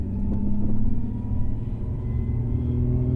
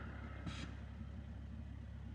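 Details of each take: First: Newly installed Jim Wolf Technology clutch kit with HD slave/CSC, after break-in, driving uphill in gear with engine under load: heavy low rumble with an uneven shudder underneath, clutch chatter under load, likely clearer in third gear. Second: Car idling with clutch pedal fully depressed after installing a new JWT street clutch and HD slave: soft steady low idle hum with no rattle; normal idle with clutch depressed.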